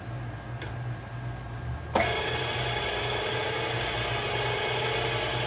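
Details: Bolton Tools ZX32GP bench top mill gearhead first run after bearing and seal replacement, quill removed: motor kicks on and settles into a smooth, steady whir with a clean, even gear tone; normal gearhead running.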